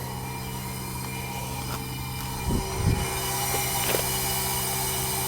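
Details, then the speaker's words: New 2-ton Bosch inverter heat pump replacing old Trane leaker, cooling just after install: low steady hum with faint even fan and compressor tones, barely audible; normal running. "Thing's flipping quiet, man. Nice and cold. Can barely hear the thing running."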